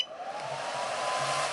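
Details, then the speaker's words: Hobbymate D6 Duo AC/DC RC battery charger, internal cooling fan running in brief intermittent 10–15 second bursts while charging: high-speed fan rush with faint rising whine, smooth with no rattle; normal fan operation. "fact you can hear that fan for a brief second that's the noise that it makes intermittently while it's charging maybe for about 10 to 15 second bursts something like that"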